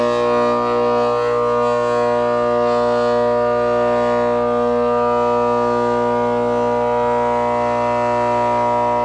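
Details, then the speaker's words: Quarter-horsepower 208/230 V 825 RPM condenser fan motor on a Trane R22 condenser that intermittently runs and clunks: loud, steady siren-like whine from shot bearings; capacitor tested fine and voltage present; motor needs replacing. "Clearly that thing is loud as it can be and needs to be changed."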